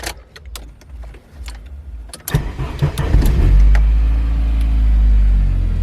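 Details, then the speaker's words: 1997 Saab 9000 CSE A50 anniversary edition with performance mods: some rattling, then cranks, catches quickly and settles into steady even idle; runs with no problems, though a trash bag is stuffed in the exhaust. "it does run. No problems whatsoever."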